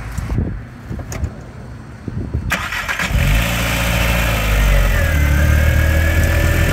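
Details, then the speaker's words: VW Mk IV 1.8T just fitted with APR ignition coils on adapters: a short crank, then a fast cold-start idle with a steady whirring drone from the secondary air pump. The owner still suspects a miss. "It's running. That's the air pump. You hear that thing running."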